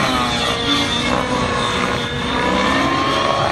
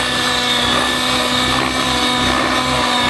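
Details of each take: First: Nitro model helicopter in flight doing tick-tocks and continuous flips after the mid-range was richened: high-pitched two-stroke scream rising and falling smoothly with no sag, more smoke visible; normal running under load. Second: Nitro RC helicopter engine with the high-speed needle richened: a loud high-pitched buzz that goes lazy and loses power under sustained load as the smoke fades, showing a lean ("skinny") mid-range needle.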